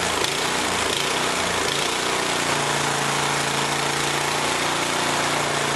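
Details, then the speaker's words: Yardworks snowblower small engine: buzzing hard with pitch wandering up and down, hunting as if starving for fuel, levels out with choke half to 3/4; owner suspects carburetor gaskets, plans carb kit. "so so yeah it's hunting a bit it sounds like it's starving when I put the choke on about half or 3/4 it uh levels out"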